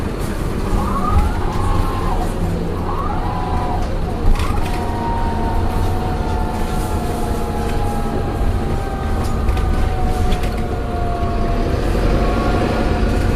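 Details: Optare Solo diesel bus slowing down: whining tones sweep and step down over the diesel rumble; the gearbox is noisy on deceleration, cause unknown. Gearbox whine on deceleration.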